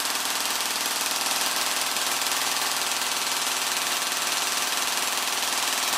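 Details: Gearbox with an M120 spring, run on the motor before the T238 brushless swap: fast, steady mechanical buzz with even gear chatter around four per second. Pulls cleanly at about 16 A average and 27 A max.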